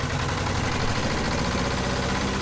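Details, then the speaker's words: 1970s Insley H800 excavator's Detroit two-stroke diesel, just revived after 25+ years sitting: loud, busy drone at fairly steady idle with roughness in the beat, possibly weak old injectors; owner thinks the exhaust blew a hole on first start. "All right, well, that thing wants to run. What the heck was that? I think we just blew a hole in the exhaust."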